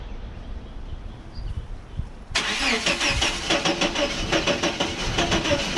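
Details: 1989 Chevrolet S10 Blazer, work in progress, won't start after everything was reconnected: the starter turns the engine at about three even beats a second but it never catches. The owner wonders about new cables or an electrical fault; the cause is unconfirmed.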